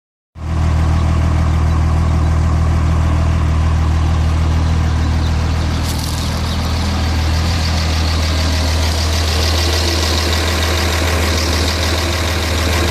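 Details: 6.7 diesel at idle: deep, uneven, lumpy beat around four pulses a second that never settles into a clean rhythm; rough idle, cause unclear.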